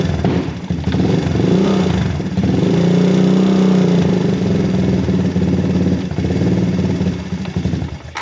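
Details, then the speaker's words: Honda TRX250X/250EX ATV single-cylinder in freezing weather, started cold without choke after spark plug service: lumpy, uneven firing that surges and sags with the throttle, barely holding on. These machines are notoriously hard to cold start without choke. "You gotta play with the choke to get it just right. These machines, like I said, very hard to cold start. They're notorious for it."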